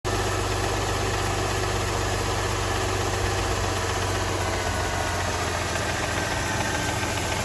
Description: Engine knock on a 2007 Mercedes E280 with the 3.0L M272 engine. (manufactured post balance shaft fix).